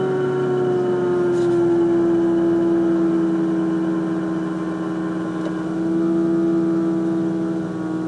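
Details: Loud steady whine, sagging slightly in pitch, from a Mazda RX8 rotary engine at cold-start idle after oil cooler line replacement; cause never found, altered oil flow suggested; engine later diagnosed with low compression.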